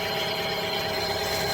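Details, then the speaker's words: 2010 Chevrolet Aveo idling after replacing the auxiliary belt tensioner, heard from under the wheel arch. Smooth, steady belt whirr with no grinding, where before there was a winding grinding noise from a worn tensioner bearing. Normal idle. "All working fine without an issue. before we could hear the winding grinding noise from the tensioner"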